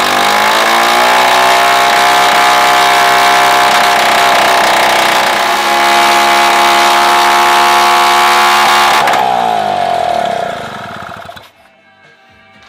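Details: Solex 3800 moped with 100% original two-stroke engine, freshly restored and first start after checking fuel delivery at pump and jet; air filter cover not yet fitted and cylinder not yet run in. Steady, even buzz at one speed about nine seconds, dies cleanly; normal running.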